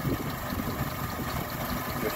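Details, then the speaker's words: 2001 Mitsubishi Mirage 4G15 petrol, sat unused for years, rough idle and no power: uneven pulsing, stumbling thrum with popping; owner suspects it is running rich. The EVAP solenoid is clicking. Fuel pump, regulator, plugs, wires, CKP sensor, distributor and PCV are all replaced, EGR and hoses cleaned, not fixed. "i think it's popping because it's running rich but yeah it doesn't want to run right"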